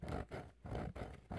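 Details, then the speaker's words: 1941 Philco 41-285 console radio's loudspeaker: scratchy buzzing bursts each time the cone is pressed off-center; debris down under the dust cap rubs the voice coil, cleaning only partly helped, fix is removing the cone to clean it (essentially a recone). "but you hear that now I know I'm putting I'm applying pressure you know not centered but still it's making a lot of noise and it does buzz like crazy"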